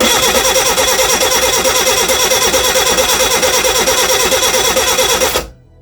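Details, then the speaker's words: Reliant Regal Supervan 3 engine on the workbench, with fuel re-primed and the distributor moved because timing was uncertain. Even cranking at about three turns a second with no firing; crank, no start. "nothing at the moment have we lost spark that's the question and did have spark before"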